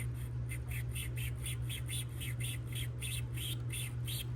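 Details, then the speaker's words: 2002 BMW 330Ci instrument cluster gauge needle turned by hand: faint scratchy ticks about three a second, gritty grinding; stepper motor suspected bad, awaiting replacement parts. "So when I turn this, if you listen really carefully, you can hear it just kind of grinding a little bit."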